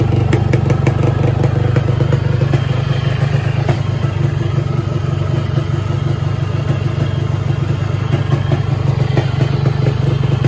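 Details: 2007 Yamaha RX King 135 two-stroke, unused about two years, previously repaired, fresh oil: starts after a few kicks, crisp quick slightly uneven idle with no knocking or grinding; engine fine, clutch stuck awaiting repair.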